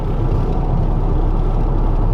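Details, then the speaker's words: Stolen and abandoned Ford F150 EcoBoost twin turbo on a test drive around 50 mph: heavy, deep droning rumble under hard throttle with strong vibration and no clear knock; cause not yet found. "wow that vibration that's pretty bad that is you can hear it"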